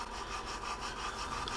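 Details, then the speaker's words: Hand-lapping a valve on 317 LS cylinder heads with lapping compound: steady gritty rasping as the valve is twisted back and forth; seat still rough, not yet smoothed down. "now i was told you do this here at grinding watch listen to it smooth down"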